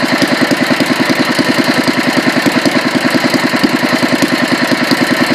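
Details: Petter A1 single-cylinder engine, second run after rebuild and another fine tune: even chuffing beat about two and a half per second, no misses or knocks; ran an hour without hiccups until out of fuel; normal running.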